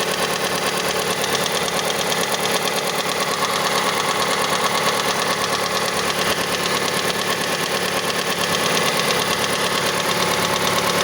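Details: Mazda CX-5 engine, cold idle: a steady light ticking knock, around two per second, heard until the engine reaches about 70 degrees; cause unknown, the valve timing (phase control) mechanism is suspected.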